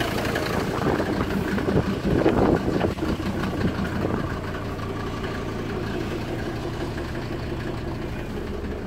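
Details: 1991 Ford Explorer turbo diesel cold start after sitting since July 2016, fuel primed and battery charged: brief rough catch then steady, even idle, wind in background; runs well but several injector return lines leak diesel.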